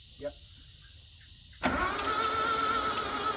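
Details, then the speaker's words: Flood-damaged Isuzu Gemini being turned over on the starter with a fresh battery, no fuel or ignition yet: engine spins evenly and freely without binding, internal condition still unknown. "I'm genuinely surprised that it turned over as well as it does but no idea what the balls are like or anything like that I mean it's free which is a great start"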